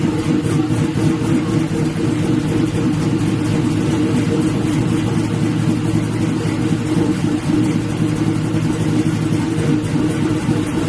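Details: LS-swapped Black Haven Buick Regal idling after a thermostat change and refilling with coolant, checked for leaks: smooth, even mid-pitched drone with no ticks or knocks; "sounds pretty good", running healthy.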